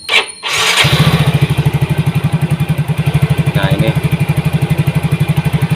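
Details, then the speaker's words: Yamaha Mio GT injected scooter, new injector fitted, restarted after CO trim cut from 15% to 7%, which had given 2000 rpm. Brief start-up blip, then a steady even putter, smooth and regular; normal idle. "Nah, kita lihat untuk CO yang tadi kita kurangi, kita dapat RPM di berapa. Setelah kita tadi merubah CO menjadi 7% yang sebelumnya di angka 15%."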